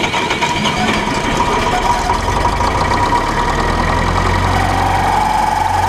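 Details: 1968 John Deere 3020 Power Shift tractor after a front-end loader replumb, restarted after fitting an extra O-ring on the closed-center plug: a thin high screech held steady over the running diesel, rising slightly near the end. The loader pressure relief needs adjusting; the owner suspects the closed-center plugs.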